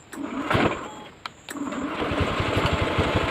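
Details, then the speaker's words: 2014 Honda Scoopy FI scooter, electric start: starter drags sluggishly through uneven turns before the engine catches; owner suspects a low battery, measured about 12.5 V; not confirmed. "Kenapa barusan tidak langsung nyala? Ya, saya coba matikan kembali. Barangkali aki saya ini juga low ya, cuman lebih kuat sedikit saja."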